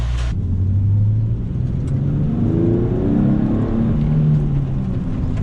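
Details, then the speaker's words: Nissan 370Z NISMO after throttle body cleaning, check engine light went off; took unusually long to start with white smoke. Deep note revs up and back cleanly, no misses or rattles, noticeably more throaty. "sounds like it's a little bit more throatier i don't know if it's because of the end it has to be the insects i mean it's pretty noticeable how it's more throaty"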